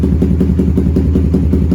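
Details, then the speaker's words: Suzuki GSX-R150 single-cylinder with Proliner exhaust and BRT Juken 5 ECU after mapping, starting on one button press without throttle: steady idle with even, regular pulses, no misses or hunting; stable normal idle, though exhaust smells of fuel, suggesting a rich mixture. "Di sini menekan tombol start 1 kali tanpa memutar grip gas sudah dapat. Dan kita bisa dengarkan sendiri untuk putaran stasioner juga"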